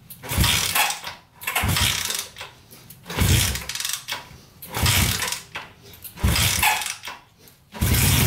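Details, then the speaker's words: Barn-find Honda CB350 twin (listed as 1970 or 1974) just fired after years sitting, choked, kickstarted: uneven roaring bursts about every 1.5 seconds, sagging between, won't hold idle; needs dialing in, black smoke puffs, cause unconfirmed. "we gotta get dialed in because it was not idling but other than that it sounded really good"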